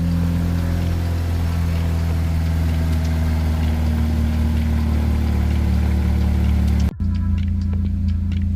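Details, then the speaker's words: Chevrolet Cobalt SS with new K&N air filter idling about 10-15 minutes, idle around 1500 rpm reported: smooth even low hum, no knocks, misses or hunting; normal idle. "so the car's been sitting idling for a few minutes now, maybe 10-15 minutes now."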